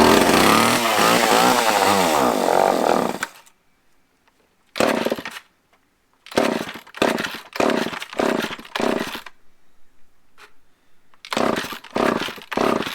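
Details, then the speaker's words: Small used two-stroke chainsaw with good compression, on fresh gas and choked, fires in short, uneven revving bursts with dead gaps between. Fuel is visibly reaching the carb, so the impulse/pump works; it runs but may need carb adjustment. "Well, I know the impulses or the pump's working because I can see fuel going to the carb, so we might have to play with that one a little bit. But it runs too."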